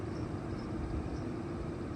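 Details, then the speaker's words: Nissan radiator cooling fans commanded on at low speed by a Launch X431 scan-tool active test, heard from outside the car: steady, even whooshing hum with no ticking or rubbing; normal operation. "So let's try the cooling fans. I think that would be a good indication. I'm sure we'll hear it. So go to cooling fan. Let's go to, I clicked it, so now I want to go to low. Let's hit execute. Oh yeah, it came on."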